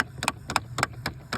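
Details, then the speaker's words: 2010 Chevy Impala blowing cold on passenger side, warm on driver's side: key on, engine off, sharp dry clicks about every quarter second from a binding blend door actuator, before replacement. "So, it's clicking right now, but um you can get in"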